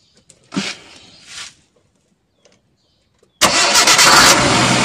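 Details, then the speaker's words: D-EFI injection engine with damaged MAP sensor: stalls immediately when sensor is connected, then after unplugging it catches and runs at a steady fast idle; faulty MAP sensor possibly misreads intake air, causing too lean or too rich mixture and stalling. "malah mau hidup jadi dari MAP sensor ini bisa menyebabkan mesin mati Ya kemungkinan karena Jumlah udara yang masuk ke intake ini tidak terdeteksi sehingga bisa terlalu kurus atau terlalu boros sehingga mesin tidak bisa hidup"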